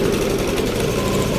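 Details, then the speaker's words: Yamaha Aerox scooter idling right after an oil change to Supremium engine oil; steady, even quiet hum with no knocks or rattles, engine smoother and quieter than before. Normal idle. "Although talagang tahimik naman talaga yung makina ng Aerox, pero ngayong nagsalin tayo ng ito nga yung Supreme engine oil, medyo mas gumanda, mas tumino yung kanyang ano."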